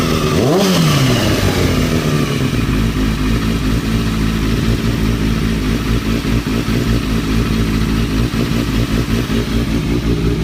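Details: 2003-2004 Kawasaki ZX-6R 636; revs then loose uneven clatter over the idle; owner suspects timing gear, tensioner reset per manual changed nothing; abnormal engine noise, source unconfirmed.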